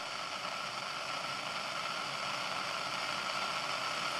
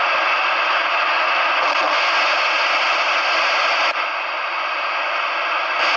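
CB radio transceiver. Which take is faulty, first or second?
second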